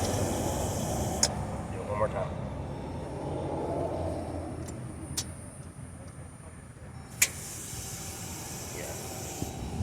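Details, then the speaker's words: 2014 Jeep Grand Cherokee with new starter: a few sharp single clicks, no cranking, amid passing traffic; power reaches the starter but the engine appears locked up. "But, hearing that click, that means we're getting power down to the starter, but the starter motor is"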